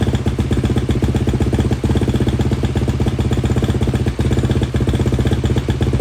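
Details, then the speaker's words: KTM 250 at a normal idle with the choke off, after cleaning the intake boot and refitting the airbox, subframe, silencer and air filter. Even, rhythmic low idle with no knocks or misses during a short first heat cycle. "Guys, I'm pretty pumped. That sounds good. Was able to get the idle as there's no the choke wasn't on, so excited."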